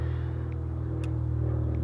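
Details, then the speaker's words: Brand-new nitro RC car glow engine during running-in: fast, steady buzzing tick-over, even but a bit too high; clutch getting too hot; tick-over screw on the carburetor needs turning down. "Now I reckon this one is a little bit too high, because the clutch was getting a bit too hot."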